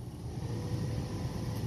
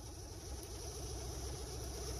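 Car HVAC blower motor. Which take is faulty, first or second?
second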